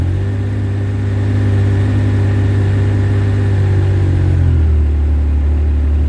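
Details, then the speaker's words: Yamaha RMAX running just after restart on a new 250 CCA Acoucou sodium-ion battery, which owner feels starts quicker than stock: steady low rumble settling to a lower, even idle after a few seconds; normal running. "I got to say, guys, this thing starts, it seems to start up quicker with the 250 cold cranking amp sodium ion than it did with the with the stock battery."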